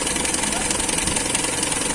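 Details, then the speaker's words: Toyota K-series engine idling with ignition timing set to 8 degrees (8–10 degrees checked with timing light): steady, even idle patter, no misses or knocks; normal idle, timing correct. "So kailangan kasi paandarin natin. Ayan, so naka-andar na"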